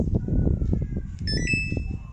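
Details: Samsung top-loader washing machine after replacing the IC on its control board to fix IE/OE error: short multi-tone start chime over a low pulsing background, no repeating error beeps afterwards.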